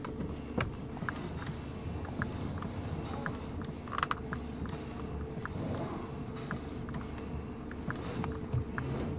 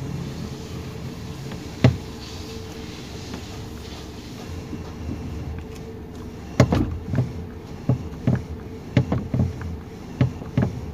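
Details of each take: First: 2019 Toyota Rush, complaint of clicking under the steering column when turning left and right: steering turned side to side stays quiet, with only faint creaks and light ticks and no knocking. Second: 2019 Toyota Rush, engine idling while steering turned left and right: sharp knocking clicks from under the steering column, also over speed bumps; suspension fine, cause a loose steering column bolt and bushing.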